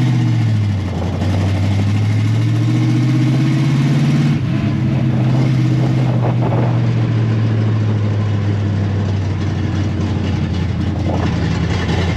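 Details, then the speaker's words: 1957 Chevy V8 on its first drive in 31 years, recorded on a helmet cam on a cold day with no glass fitted: an even drone rising and falling with light throttle over wind noise, no stumbles or backfires; shifted fine, running well. "so there you have it for the first time in 31 years the car has made a successful drive under its own power"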